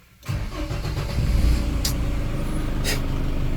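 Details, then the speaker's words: Tata Safari diesel (2.2 VTT 2011) before starter repair: clunk as starter engages, then slow uneven cranking into a rough catch; loose starter bendix drive and worn brushes, later repaired. "ആ ഒരു sound കിട്ടുന്നുണ്ടോ എന്ന് ടക്ക് എന്നിട്ട് ഒരു sound വരും."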